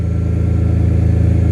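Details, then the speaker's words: BMW M3 S54 engine swap at first start, straight header pipe making it loud: deep, steady idle with even exhaust pulses and no misses or knocks; normal idle. "That's just a straight header pipe. That's why it sounds loud like it is. There you guys have it."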